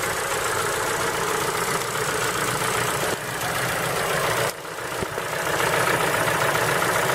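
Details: Ford Focus 3 with PNDA engine at cold idle: a rapid tapping knock, roughly three or four per second, over an even engine note. Cold-start knock, cause not yet identified.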